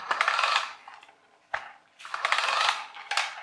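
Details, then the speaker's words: RC Mini Cooper toy car, 27 MHz, after cleaning hair from it: rapid rattling clicks in bursts while the motor drives, only when on the ground; a gear has a missing tooth; motor, receiver and steering fine. "Sounds alright till you put it on the ground, and then you can probably hear it clicking there."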